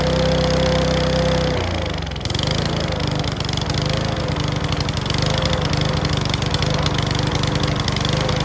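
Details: Mountfield V35 150cc mower (HP414, 38cm cut) after a carb clean; catches and runs with an uneven popping and clacking beat instead of a clean drone. Owner suspects the carb needle needs sorting; possibly low on fuel. Not confirmed.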